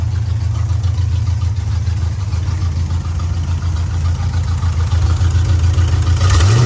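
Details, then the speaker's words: 1986 Camaro Berlinetta with open headers, started after sitting a while, deep loping idle with an irregular beat and stumbles; not running right, cause not confirmed. "it finally uh finally lit off off but like I was saying uh it's not exactly running how it should you can hear it doesn't sound the"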